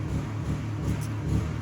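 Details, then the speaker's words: 2021 Mercedes-Benz E350 (W213) with the check-engine light still on after new spark plugs and all four ignition coils; a low, uneven idle that lurches and stumbles. Rough idle with misfire, cause unconfirmed, fuel pump suspected. "um but the check engine light did not go off and it started rough ID idling sorry started doing a real bad a rough idle you can see it just by the engine sitting and idling it was like this"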